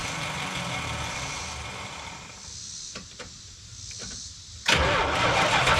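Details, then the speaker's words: Early-1980s (81–82) Dodge 1-ton truck V8, sat about two years, fuel being poured down the intake: slow uneven cranking several seconds, then suddenly catches and roars up; only fires on added fuel, no start, out of fuel. "we're gonna keep throwing a little bit of fuel down his throat and see if see if it if it works"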